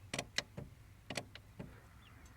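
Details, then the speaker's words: 2016 Tacoma TRD Off-Road 4WD V6 6-speed manual, 4,300 miles, about 83°F after a 4-mile stop-and-go commute: dry clicks and creaks from the clutch pedal in its first half inch of travel, less than before. "it's only it's a little bit less than last time it's only during the first a/ in of travel whereas before it was during the first uh inch to inch and a half"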